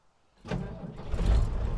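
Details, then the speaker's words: Ford F350 with an air-cooled Deutz diesel, 5,600 hours (roughly 230,000 miles), in neutral with foot shutoff switch set by one quick pedal press: brief crank, catches within half a second into deep steady rumble; normal start. "and it fires right up."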